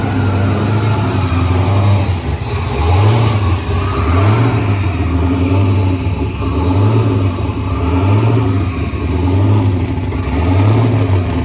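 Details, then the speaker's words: Turbocharged Chevrolet S10 start after idle screw was adjusted last time, throwing the idle air control off: idle surges up and down about every second and a quarter, hunting; erratic idle until screw readjusted. "well there you have it kind of started weird had the iak I think uh think I adjusted the idle screw there last time and kind of threw the the iak and the idle way off so it kind of started weird"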